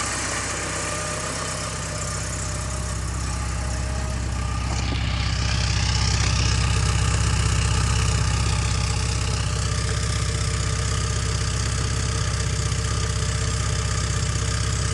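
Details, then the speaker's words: 1985.5 Porsche 944 four-cylinder idling cold on a chilly day, good oil pressure, alternator charging; vapour is warm-up, running a little rich. Smooth, even idle with low pulse and faint belt whir, no knocks or misfires; healthy cold warm-up. "it's a little cold out here today so that's not smoke that's like I said the car just warming up they run a little"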